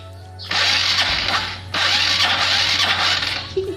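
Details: Honda Supra X125 (KPH engine): two short, dragging starter bursts with a strained grinding whirr that never spins up briskly; battery too weak. Gredeg noise persists after the loose clutch housing ring was fixed and the clutch lining replaced; owner suspects the clutch one-way.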